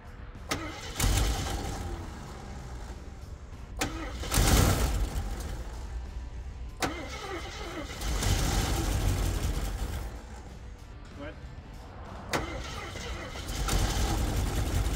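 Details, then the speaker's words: 1974 AMC Javelin, sat about 20 years, first cranking attempts: starter drags engine over sluggishly in uneven bursts with pauses — slow cranking; owner wonders if old age or gunk is the cause, unconfirmed. "yep good we're turning over a little slow wonder if our old AG's a little slow or we just got a little bit little bit a Gunk"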